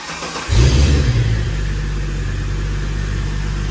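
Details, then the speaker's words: Holden VY Calais L67 supercharged V6 drift car, freshly installed replacement engine (double-row timing chain, lower km, balance shaft disconnected, upgraded mounts), first start without coolant or supercharger belt: quick crank, catches at once with short rev, settles into smooth even idle; oil pressure 70. "She fires right up. Oil pressure. 70. Got good oil pressure. Actually sounds pretty good. It actually sounds really good."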